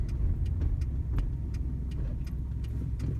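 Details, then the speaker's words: 2002 Subaru Impreza Outback coasting downhill with sharp, evenly spaced clicks about three a second over road rumble, like a CV joint, and vibration felt in the gas pedal; new rear tires. Owner suspects the CV, driveshaft, rear differential or unbalanced rims. "clicking sounds that kind of sound like a CV joint clicking when it turns, those are what scares me"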